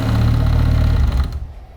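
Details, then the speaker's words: Audi S4 full restoration, first start, no tachometer yet: strained droning noise from the power steering pump over idle; pump very hot and smoking, apparently overheated as if at maximum pressure. "отсюда с гидрача очень странным"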